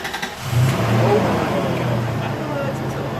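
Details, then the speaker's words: 1998 Toyota Tacoma 3.4L (3400) V6, 300,000 miles, just started before an AMSOIL engine flush and oil change: catches and settles into an uneven, stumbling idle with an irregular beat; stutter attributed to deposits, flush expected to fix it. "We're going to fix that. We're going to fix that stutter. We're going to let her come off idle up."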